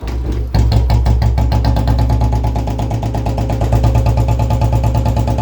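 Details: Royal Enfield Bullet Standard BS6, 13,529 km, sat two to three months, kick spring broken: single cylinder settles into lumpy idle with a loud, regular clattering tick every beat; abnormal engine noise, cause unclear.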